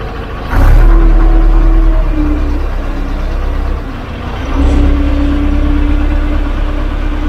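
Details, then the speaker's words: 12-ton six-wheel grader, diesel, on a test drive after a broken drive chain was replaced and tensioned to about 1.5 inches of play: deep steady rumble pulling away, no slapping, clanking or binding. Normal drive operation. "Alright, that chain stayed on, no problems. Didn't feel it binding up or anything."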